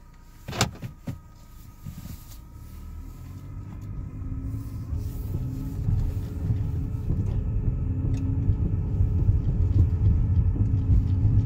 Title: 2013 Buick Verano whining noise